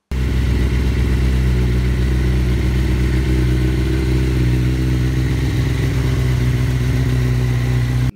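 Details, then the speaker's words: Suzuki GSX-R1000 K1 inline-four after service and wiring repair for rough running and power loss, fast idle on choke while warming up; steady, even, smooth deep exhaust note with no ticks or misses. "The Joke is on because I wanted to get the bike quite warm you can hear how it sounds after the service and not and compare it what it was before"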